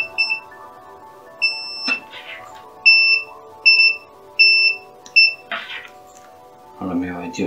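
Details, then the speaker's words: Multimeter in diode/continuity mode testing cheap Chinese earbud cable after soldering broken wire to the jack; short clear high beeps about once a second: continuity confirmed, repaired connection good. "Sad ćemo uključiti multimetar na mod mjerenja diode, odnosno pištalicu, i vidjet ćemo ima li kontakta sa jackom, odnosno da čujemo ovaj zvuk."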